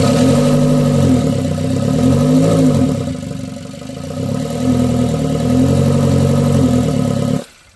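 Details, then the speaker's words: Kia Rio with P0420 and massive power loss that won't rev above 2,000 rpm even in neutral: a deep, labouring note that shudders and drops back. Clogged catalytic converter, solved by replacing it. "It'd be like, make a real deep sound, and it would start like shuddering, and then the RPMs would drop back down."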